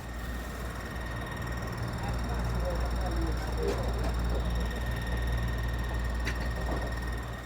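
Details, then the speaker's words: Kool Flo floor fan, not much used and weak on all three speeds, gives a steady low hum with a faint high whine that keeps getting louder; the motor sounds like it is dying. "that noise is starting to increase it's starting to get louder so let's just see how long this thing actually lasts before it dies this is sad because it hasn't had a lot of use and it's making this off the wall noise"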